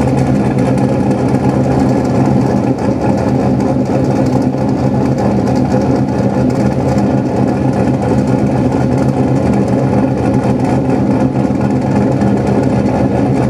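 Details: Engine idling after exhaust pipes refitted and joint leaks sealed with exhaust sealant, checked with a frayed cotton swab: steady even idle, smooth exhaust note, no ticking or puffing; exhaust sealed.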